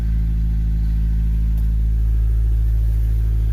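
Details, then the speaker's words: 1995 Honda Del Sol, a turbo build project, running after a 255 lph fuel pump swap; the new pump is loud. A steady, even low rumble with no knocks or misses; normal running. "Alright, cubbies are back in. Car is good, sounding good."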